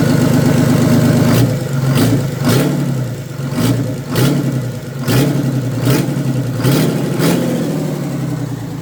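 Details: Old Detroit Diesel two-stroke in an abandoned vintage GMC truck, after the stuck-shut emergency air shutoff valve on the back of the blower was reopened: strong running with repeated throttle blips about every second, firing and revving cleanly, now running properly.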